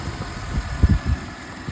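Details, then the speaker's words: 2006 Mercedes SLK280 after crank-no-start fixed by opening and cleaning the engine control unit; low, steady, buttery-smooth normal idle with only small soft bumps, no knocks or misses. "And after chasing my tail, car is running. And it sounds buttery smooth like I thought it should."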